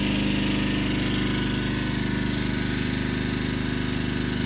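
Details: Yamaha 2000 generator running on propane, powering a Pioneer 9000 BTU 110 V mini-split that draws about 8 A. Steady, even drone with no misses or surging; it handles the load and its rpm picks up when the outdoor compressor kicks on.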